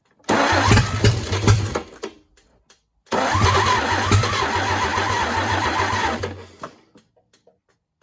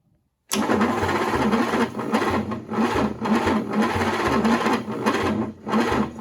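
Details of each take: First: GMC 270 inline six, first start in 20+ years, after adjusting the distributor timing: catches and runs in short bursts with an even, steady beat and no knocks or ticks. Oil pressure confirmed. Sounds healthy but won't stay running long. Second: GMC 270 six in a 1940s truck, rusty and water-damaged, first start attempt in 20+ years after plug check: slow laboured cranking that rises and sags, never catching; the starter is old and worn.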